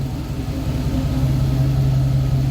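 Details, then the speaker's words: 1966 Pontiac Catalina wagon V8 after replacing a bad IAC, idle set around 650 to 660 rpm and still learning, not yet fully hot: low, even rumble with a steady idle, lower and better than before. "Well, you heard it starting. Yeah, it sounds like it's idling a lot lower. Sounds like it's idling better."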